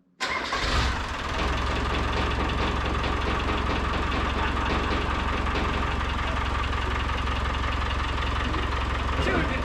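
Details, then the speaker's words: Land Rover Discovery with a swapped-in 200Tdi diesel, first start after the engine refit: brief crank, fires at once, then a steady, even diesel idle clatter with no misses or knocks; oil pressure shows 50 psi on a gauge reading 10 psi low. "I knew it was going to start."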